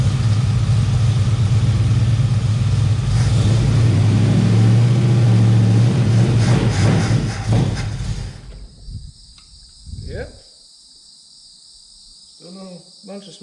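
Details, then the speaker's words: 1971 Plymouth Valiant Scamp V8, first start after 16 years parked: smooth, even burble for about eight seconds with no tapping or misses, then dies off; no smoke or big leaks. Owner suspects it is out of fuel or the pump isn't pulling. "or nothing like that seems to sound pretty good"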